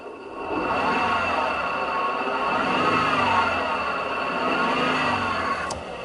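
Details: Toyota 86/Subaru BRZ at 150,000 km: a steady high whir with a couple of fixed tones over the engine, barely changing; the clutch release bearing is damaged.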